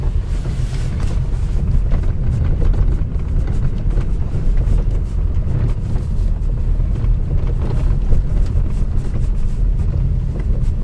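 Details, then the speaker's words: Nissan Qashqai J10 / X-Trail T31 driving over small bumps and ice: irregular dull knocks, rattles and metal-on-metal clatter over road rumble, mainly from worn front stabilizer bar bushings; replaced with Juke 21 mm bushings. "ну вы надеюсь слышали у нас тут целый букет и гремит и дребезжание и стуки железо по железу накопилось все за последние 3 месяца гремят больше всего втулки стабилизатора"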